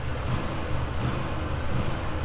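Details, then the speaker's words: Engine idling after a noisy part was removed; it was noisy before and is now dead silent, a smooth, steady idle with no squeak or whir; normal idle. "How's that? Woo! Dead silent."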